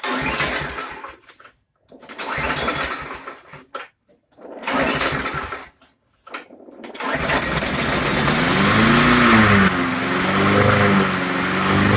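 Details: Briggs & Stratton Quantum Craftsman mower after storage with old fuel, started on starting fluid with air cleaner off: cranking bursts, catches, surges up and down, then settles to steady running; full carburetor cleaning still suggested.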